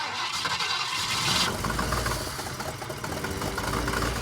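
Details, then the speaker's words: Ford Falcon that sat over 6 years: catches after cranking, then chugs unevenly with an irregular, lumpy beat and clunking; runs rough because the ignition timing is set wrong. "I'm happy to hear it run. Running good, I wouldn't say that. It's not doing that."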